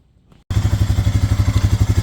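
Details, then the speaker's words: Honda Rancher 400 AT ATV (dealer trade-in that wouldn't drive) after fitting a new slip-on muffler in place of a cut-off old one: engine settles into an even, muffled thump with no rasp or blow, nice and quiet, normal exhaust note. "nice and quiet again sounds like it's supposed to perfect"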